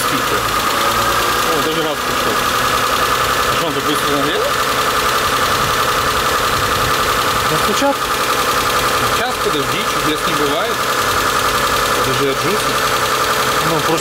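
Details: Mitsubishi Galant 8, 6A13 V6 over 20 years old, just after replacing hydraulic lifters with AJUSA units: fast light tapping over steady idle as new lifters tick until oil fills them.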